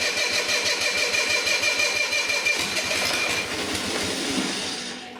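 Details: Long-stored Onan diesel generator, battery partly recharged, injector pump linkage worked by hand: engine catches and chatters at a fast, uneven beat, then speed drops back and it dies within five seconds; owner later suspects pump not delivering enough to injectors.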